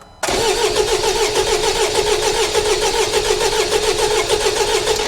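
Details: 2016 Jaguar XE Ingenium common-rail diesel: steady, even starter cranking with regular compression beats for about five seconds but never fires; crank no start despite good fuel pressure and injectors firing, later traced to a mechanical issue.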